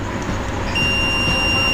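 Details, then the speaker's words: Multimeter continuity test on the bridge diodes of a generator alternator whose generator smoked heavily and ran under heavy load: a steady beep holds, so two rectifier diodes are shorted. "यह डा board भी हमारी dead है जिस डबड से मतलब Berger की आवाज आ रही है यह वाली डबड से और यह वाली डबड से तो ये दोनों डबड शॉर्ट है जिसके कारण से इस तरह की प्रॉब्लम हो रही है"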